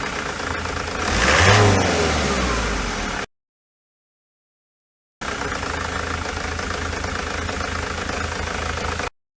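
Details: Ford Transit 2.4 TDDI Duratorq diesel with a misfire at idle and at partial throttle or light loads; revs briefly, then settles into an uneven, stumbling idle beat around four a second.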